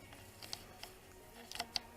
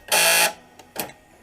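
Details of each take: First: 2005 Dodge Grand Caravan sliding-door power lock actuator, replacement fitted with the correct driver's-side arm: four crisp, evenly spaced clunks less than a second apart, each a clean lock stroke without grinding; the actuator works properly. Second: 2005 Dodge Grand Caravan sliding-door power lock actuator, a junkyard replacement tested after bolting in: a half-second harsh, high-pitched grinding buzz as the lock cycles, then quiet clicks; the motor works but is noisy.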